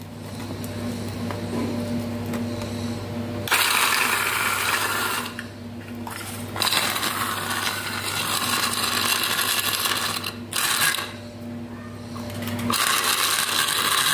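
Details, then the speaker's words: Old cooler water pump, seized rotor freed by light tapping and cleaned both sides, powered on running dry: small motor hums steadily, low even drone, no grinding or stalling; spins normally, water test still needed to confirm. "Friends ఏదో తిరుగుతుంది. అయితే మీరు confirm ఎలా చేయాలంటే ఈ తిరిగినంత మాత్రాన water పోస్తాను confirm లేదు."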